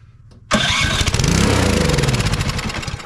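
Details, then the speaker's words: Troy-Bilt Storm 2420 snowblower (model 31AS6KN2B23), won't start: with carb cleaner/starting fluid sprayed into the intake it catches sharply, runs rough a couple of seconds, then slows and dies. Runs only on starting fluid, so a carburetor or fuel delivery fault. "now it runs just as long as we have carb cleaner starting fluid for a fuel"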